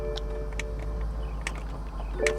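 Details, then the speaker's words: Convertible bought from auction: top switch pressed, brief electric motor hum and a few sharp clicks, then the roof does not move even after key cycling; rear partition suspected, water found there. Cause unconfirmed. "Let's try the convertible top. I hear it making noise and I hear a click,"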